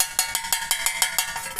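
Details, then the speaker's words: Honda City driven on a dirt road: sharp, bright metallic clinks about six times a second from a tiny stone trapped inside a suspension part; stone removed, fixed. "Esse é a segunda vez que eu passo por isso por causa dessas pedrinhas desse carro."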